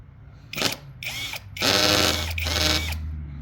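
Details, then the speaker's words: New battery drill/driver, first use, driving screws into a 1.5-inch board at torque setting 8 of 20; short whirring bursts with rattly ratcheting under load as the clutch slips, fixed by switching to drill mode. "Is that holding it? I don't know what that sound is. My other I have not encountered one that makes a sound like that yet. Yeah, it's like a torque setting."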